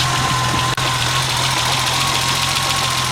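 Idle is busy and slightly uneven, with a brief stumble early on; a slight misfire at idle.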